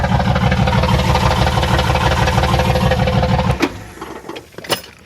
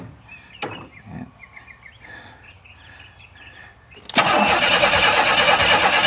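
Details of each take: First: 1994 Chevrolet Astro Van with a newly installed remanufactured engine, early run, about 14 V: a steady, even idle beat about three pulses a second, no knocks or misses, then shut off. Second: 1994 Chevrolet Astro van with newly installed remanufactured engine, first start attempt: starter spins loud and labouring for two seconds, engine never catches; owner suspects ignition timing still too far advanced, kicking back counterclockwise.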